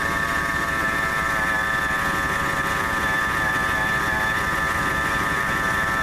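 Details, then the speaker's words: 1997 Ford F150 at warm idle, not a cold start. Steady, high, even whine over the engine. Idler pulley reads 132° by laser thermometer, hottest of all the pulleys; owner suspects its bearing is going bad. "don't know if y'all were able to see that but look like the idler pulley with running the hottest out of everything so I would say that's probably the bearing on the that's going bad"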